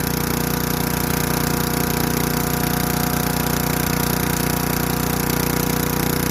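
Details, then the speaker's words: Craftsman Eager 1 4hp chipper vac (model 987.799790, auction flip) in chipper mode. Single-cylinder holds a steady, fast, even chug while sticks are fed; bent sticks jam. Runs healthy under load. "So yeah, so the bends and the sticks aren't going there, but it looks like it's chipping them up."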